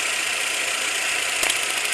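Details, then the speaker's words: 2016 Chevrolet Sail petrol idles evenly with a steady hiss-heavy hum, no stumble or vibration, after the No. 1 ignition coil's missing supply was fixed; earlier it misfired with blinking check-engine light; normal idle. "देखिए वो कैसे vibration कर रहा था। But अभी vibration नहीं कर रहा है।"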